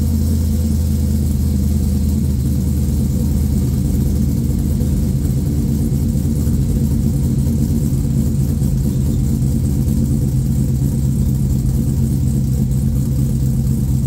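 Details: LQ4 V8 swapped into a 1985 Pontiac Trans Am, tenth first-start with a red hot cam and 4in exhaust: a loud, deep, choppy idle with an uneven lope that stays steady and even; normal, healthy cammed idle.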